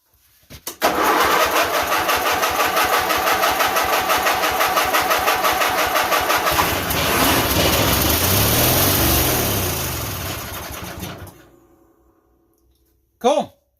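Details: White GT1855 garden tractor engine after rewiring, with no gas tank fitted, started on starting fluid with the choke set. A short crank, then it fires evenly about three beats a second for ten seconds and fades as the priming fuel runs out.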